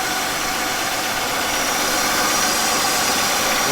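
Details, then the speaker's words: 1999 Buick Century idling: loud steady sucking hiss over the running note; intake seal suspected failed, possible vacuum leak, not confirmed. "I think the intake Stills failed do you not hear the loud sucking sound yeah making all the oil"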